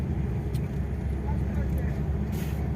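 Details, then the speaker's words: Toyota Fortuner on road test after front wheel bearing replacement, around 30 on the display; only steady low road rumble, no hum, growl or rhythmic whirr from the front wheel. Bearing quiet, noise fixed. "ये देख सकते हो blue 30 है और उधर से कोई भी नॉइस नहीं ए रहा ये देख सकते हो तो फाइनली हम ये गाड़ी को अभी टेस्ट है"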